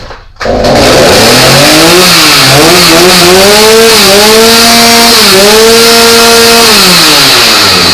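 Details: Stihl MS310 chainsaw after a no-start from flooding, suspected bad canned fuel; with new fuel, compression and spark checked, started on choke then one notch up, it holds a clean steady howl, rising and falling smoothly with throttle, running like new.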